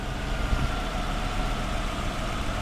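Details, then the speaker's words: 1995 Lexus LS400 V8, 160,000 miles, idling after intake manifold removal and new fuel injectors and seals, with the ignition system already replaced: a low, uneven rumble with occasional stumbles. This is a six-month intermittent misfire that an ECU replacement eventually fixed. "well you don't need a light on the engine to hear that misfiring disappointment"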